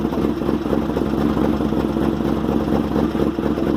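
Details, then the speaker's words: 2001 Chevrolet Camaro SS after a new heads-and-cam install: uneven stumbling idle with lumpy low beat and skipped firing pulses, smoke and fuel smell; lost compression, owner suspects a bent or burnt valve; engine misfire. "she's missing like crazy smells like fuel definitely seems like something's going on in there like it's not firing properly"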